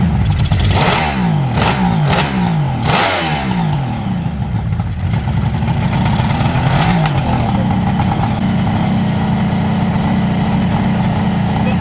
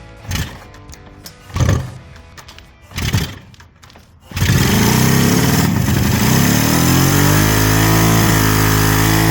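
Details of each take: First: Freshly restored 1975 Kawasaki H2 750 two-stroke, running without airbox: crisp revs rising and falling smoothly, then even steady idle with no misfire; normal running and revving. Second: Freshly restored 1975 Kawasaki H2 750 two-stroke triple, oil lines primed, cold first start: catches after several cranking bursts, then ragged, uneven, hunting idle; something seriously off, cause unconfirmed (ignition and carb checked later); rough running.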